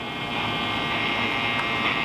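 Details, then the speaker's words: 1948 Silvertone 8005 radio under repair, operated beneath overhead fluorescent lights: steady buzzy hum and hiss with no station tuned in; the speaker also rattles. The noise source is unconfirmed. "we're hearing some noise."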